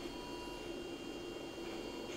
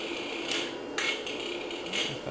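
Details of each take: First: Toyota electronic throttle body on a test bench with its ECU, after a full power cycle cleared the fault mode caused by electromagnetic fault injection: a faint, steady low hum with no jitter or chatter, working properly and much quieter. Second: Toyota electronic throttle body on a test bench with its ECU: irregular sharp buzzy chatters about every half second as the throttle jitters, stuck in a fault mode.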